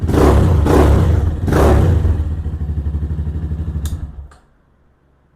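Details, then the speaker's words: Venom Ghost Chopper 250 single-cylinder after valve adjustment, 200 psi compression: two quick blips then even thump around three beats a second before shutdown; starts easily, runs clean. "See how easy it starts. It's good. I'm pleased with that."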